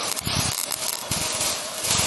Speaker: That means your wire speed is too high, or your voltage is too low.